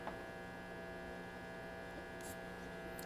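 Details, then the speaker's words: 1937 Zenith 10S130 tube radio, below full voltage at about 80 volts: constant low buzz with a thin higher whine and no programme; the set hums heavily through the speaker, cause suspected but not confirmed. "yeah it's definitely working but there's some pretty serious hum in this thing I don't even have it at full voltage and it's humming pretty good"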